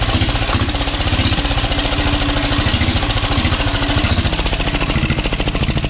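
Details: 12 HP air-cooled single-cylinder diesel, test run after overhaul; it had run once and then become hard to turn (owner suspected piston), valve clearance reset and oil added. Loud, rapid, even thumping at steady speed without stray knocks or scraping. Normal running.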